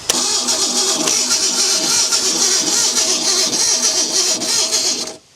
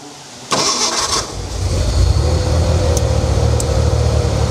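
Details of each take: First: Ford Bronco II cranking: starter turns evenly at about three and a half beats a second for five seconds and never fires; spark plug test shows no spark, coil power being checked. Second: Abandoned Ford Bronco II being revived, brakes not working: engine catches after a short crank and settles into a steady, even idle with a firm low rumble, no misses or knocks; runs well, fuel pump working.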